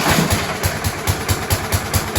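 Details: Scott Bonnar mower, Briggs & Stratton Sprint 375 4-stroke, after fitting a recycled primer bulb, throttle set mid-way (throttle faulty): slow, loping beats about four or five a second, barely holding on before conking out.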